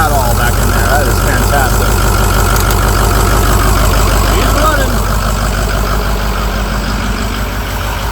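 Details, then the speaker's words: Used 6.0 diesel just installed in a truck, first test start on a jump box, scan-tool power balance test: lumpy idle with a steady rhythmic stumble about three times a second, cylinder two a dead miss; blow-by noted, relative compression retest follows. "Go Power Balance not good for it cylinder two's got a dead Miss we're gonna go ahead and power off"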